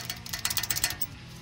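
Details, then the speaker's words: 2003 Toyota Tundra SR5 brakes: quick light metallic clicks like loose change, as caliper pins (mainly the bottom one) bounce up and down because the silver anti-rattle spring clips are missing; fixed by installing brake hardware kit clips. "not so much the top one as much as this bottom one yeah you can hear and they bounce up and down and it sounds like loose change and change change rattling so that's what we're fixing today"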